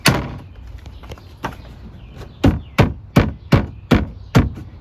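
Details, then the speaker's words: Honda Pioneer side-by-side door after rattle fix (E-clip and pin adjustment): several firm thumps as door is knocked and shaken, each dying out cleanly with no buzz or rattle; door solid, rattling solved. "Nothing. We just solved all our rattling issues."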